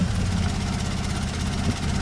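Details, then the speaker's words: Opel Manta after carb cleaning and timing belt work; deep idle rumble with uneven, slightly loping beat, better than before, apparently no longer backfiring, carburetor suspected; lumpy idle. "I'd say that's better, but I think now that's the carburetor."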